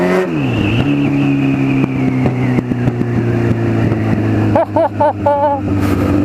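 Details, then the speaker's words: 1996 Honda CBR900RR Fireblade with a 2004 CBR1000RR engine swapped in, first test ride with no exhaust silencer: harsh, very loud bark rising and falling sharply with each rev and gear change. "a shame I've got put an exhaust on it cuz that sounds bloody L"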